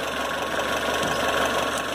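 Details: Citroën C4 hatch 2.0 after 50k service with heat exchanger and belt kit replacement: steady, even idle with a smooth mid-range hum and no knocks or irregular beats; normal idle.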